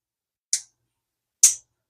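Two crisp, high-pitched clicks about a second apart in a quiet room: the reel's clicker ticking as it should.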